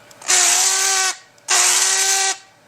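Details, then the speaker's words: Corded drill used for grinding front suspension parts of a 1956 Ford Fairlane; two short bursts of hissy high whine with steady tone, drill sounding strained and soon smoking; abnormal drill noise. "got out my drill my corded drill to do some of this grinding but I don't think it's supposed to sound like that"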